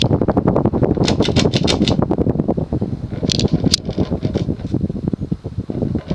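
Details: Early-1980s Sears/Emerson 54-inch ceiling fan with heavy plastic blades, non-reversible two-speed motor, on high at about 175 RPM: steady airy whoosh with soft even pulses and no wobble or clatter after vibration stopped; running smoothly.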